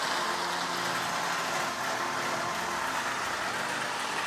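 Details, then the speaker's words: Lionel 1061 Scout-type budget model locomotive circling the track: a loud, steady gear-and-motor whir with no knocks or surges; this noise is normal for this locomotive design. "you hear the noise and that's normal that's normal for this locomotive"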